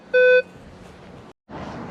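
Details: Minelab Vanquish 540 or Equinox 800 in beach/jewelry mode: one clean, low, steady beep about a quarter second over faint room hiss; a normal target response.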